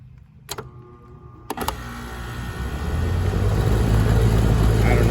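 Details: 1996 Heil AG030GB1 2.5-ton AC condenser with SureStart SS1B16-32N replacing hard start kit, about 55°F ambient: a couple of clicks, then compressor and fan ramp smoothly to even steady run; start current about 26 A versus 37 A before.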